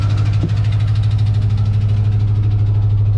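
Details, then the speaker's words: 1993 Ford Bronco idling after installing new transmission cooler lines: a steady V8 idle with a fast, light, regular tick at about three per second on top. The owner suspects a lifter ticking and notes a lingering idle issue. Ticking at idle. "know I thought I fixed that idle issue Mary oh you guys can really hear that lifter tickin"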